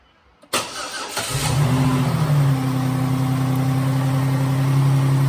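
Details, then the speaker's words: 2011 Dodge Nitro V6 after replacing the worn rocker shaft and rockers, jump-started without alternator belt or airbox: catches quickly and settles to a smooth steady idle, lifter noise and misfire gone, all six cylinders firing. "no more lifter noise all six cylinders are there"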